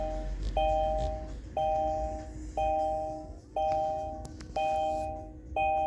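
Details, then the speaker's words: Kia e-Niro: bright two-tone chime repeating steadily about once a second in a quiet cabin when the car is switched off; the car's normal warning chime, not a fault. "You switch it off and maybe it's very nice in Korea, but if you are a taxi driver and you spend the whole day in the car, this sound start to get into you."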